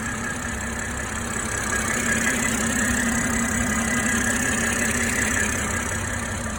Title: M340i Engine idle sound. High pressure 350bar fuel pump sound.